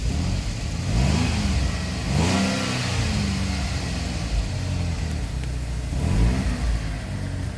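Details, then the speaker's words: Freshly replaced GM 3.6 engine with starting trouble, burning off oil: idle hunts up and down unevenly, revs surging and sagging every second or so instead of settling; rough erratic idle, starter or starter relay suspected for starting issue. "Look at it idling like that. That is crazy."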